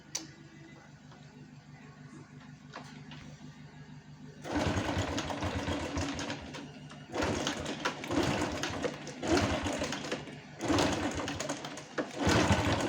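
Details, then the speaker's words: Honda Wave 110i after repair for hard starting, stumbling and stalling: small single settles to an even quiet idle and picks up cleanly on quick blips with no stumble; restarts at once, running normally. "เติมเราเติมเรานิ่งนะครับเดินเราได้นะครับยึดวอดก็โอเคนะครับ"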